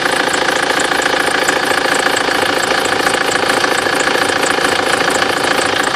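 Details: BMW F25 with N47D20 diesel idling steadily with a thin, constant high whistle over the clatter; drive belt squeal at idle.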